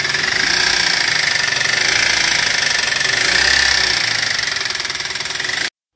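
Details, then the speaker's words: Toyota Avanza engine after driving through floodwater: harsh, rough clatter about four knocks a second, louder and faster with revs; hydrolock damage, bent connecting rod (stang seher) knock, engine overhaul needed. "teman-teman sudah bisa dengar sendiri suara mesinnya seperti itu ya jadi Kasar banget kalau digas tambah digas plus digas tambah kenceng suaranya"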